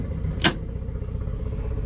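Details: 2013 Yamaha 9.9 four-stroke outboard at 800 rpm idle (spec 800): soft, even low idle with a single light clunk shifting into gear, no stall or lurch; a hard clunk would mean idling too fast, so idle speed is right.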